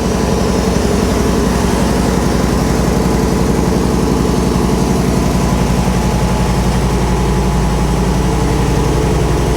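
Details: Long-sitting classic V8 with automatic transmission, first start after fuel system flush: steady, even idle with only minor vibration at start, a slight tap, no belt squeal; sounds healthy.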